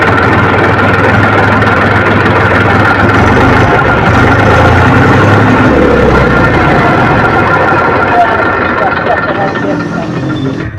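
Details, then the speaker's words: Massey tractor diesel cranks steadily at about four beats a second for many seconds before catching, a long hard start; a diesel fuel pump problem is suspected, not confirmed. "तो अभी हम start करते हैं आप लोग देखिएगा engine को कितना टाइम लगता है स्टार्ट होने में कैसे राउंड लेता"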